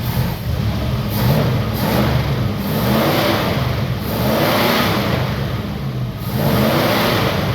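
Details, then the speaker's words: 1962 Oldsmobile F85, 230 all-aluminum engine, all original except an added Holley carb and choke, with a new coil, before timing and points are set: steady even V8 note rising smoothly with throttle, no knocks or misses; running healthy. "But it sounds pretty nice. I'll shut it off."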